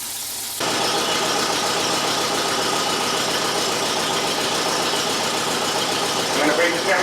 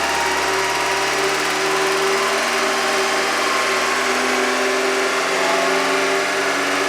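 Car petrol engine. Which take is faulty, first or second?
first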